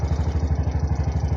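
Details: Bajaj RE three-wheeler that kept stalling and sat unused for two months, now started after repair, no fault codes: even single-cylinder putter at about ten beats a second, steady with no misses or clatter, healthy idle.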